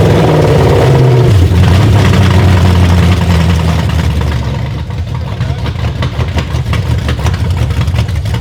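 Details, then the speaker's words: BMW E38 with a replacement V8 engine, first start on the original harness after priming: loud rough V8 drops from a high flare to an uneven, lumpy run with a coarse pulsing beat; cause not confirmed. "Well, it's pissed. It runs. Yeah. Fire! It sounds aggressive."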